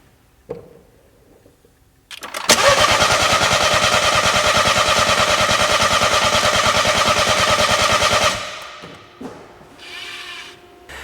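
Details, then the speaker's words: 2012 BMW 1 Series, crank no start, cranked while watching high-pressure fuel rail data (other shops blamed low fuel pressure): steady fast cranking, about three turns a second for six seconds, no firing. Timing had jumped from a broken chain guide. "I want to crank the engine over while you guys take a look at that pressure reading"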